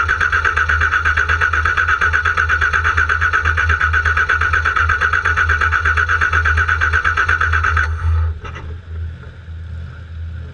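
Starter turns the engine at a steady pace, about three beats a second, for eight seconds without catching, then stops; cranks but won't fire.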